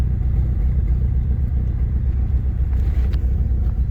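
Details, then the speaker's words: 1997 Eagle Talon 420A non-turbo idling around 1,000 rpm, misfiring: low uneven rumble, irregular lope. "I just got this 97 Eagle Talon. Idles it, it's misfiring. It's around 1,000."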